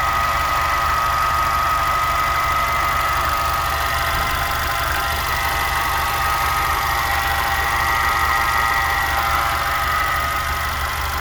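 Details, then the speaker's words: VW Jetta MK5 petrol engine just after startup: a steady, regular knock of about three to four beats per second over a faint whine, which then disappears. Owner also hears a wind noise near the belt, source unknown. Knocking at idle. "yeah so basically after i start up the car i show the there's a there's a regular sound like something knocking on the engine and then it disappears"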